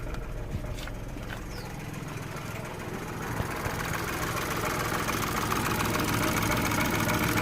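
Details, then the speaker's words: 2016 Renault Twingo 1.0, engine light on with codes DTC013513 and DTC11501C, codes cleared and several components disconnected during fault finding: idle wobbles with about three soft uneven pulses a second over steady hum; running a little rough. "okay I have all of the disconnected so the car is running a little bit rough at the moment"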